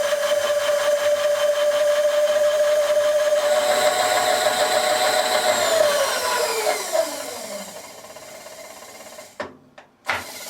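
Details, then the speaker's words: Asong AS235 power feed driving a milling machine table, after replacing the reset switch, cleaning carbon off the armature and resetting the gear mesh. Steady, even motor hum coasts down with quiet gears and no grinding. Runs normally; brushes still need a few days to wear back in. "that works okay I think I'll take a few days for the brushes to wear back in as I've had them out it's working now"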